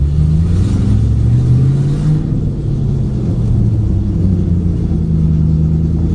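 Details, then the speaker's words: 2008 Ford Mustang GT S197 V8 driving under acceleration before coil replacement: lumpy, uneven rumble from misfires; dealer reported 5 bad coil-on-plug ignition coils, later fixed with an MSD Blaster coil set. "You can hear how this car sounds right now before I change these coil packs. I got a report from the dealer when I took it up there, said that it had 5 bad coils, so it had been misfiring."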